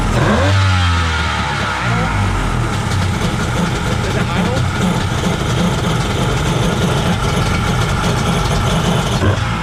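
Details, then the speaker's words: Kawasaki 1100 ZXi jet ski after replacing bad stator and CDI, fitting taper-bored 38 mm carbs: engine catches, settles into busy even buzzing run with throttle blips, no misfire or stumble; normal running. "nice I think that solved the issue so hopefully we ride this thing soon"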